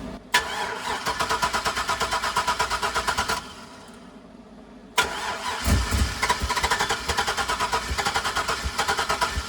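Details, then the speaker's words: Chevrolet Silverado with a 6.0 LS that wouldn't stay running and seemed out of fuel, cranked after about a gallon of fuel was added: even, labored starter churn for about three seconds, a pause, then more cranking without catching. The owner suspects low voltage. "hopefully it's not low voltage sounds like it's low voltage"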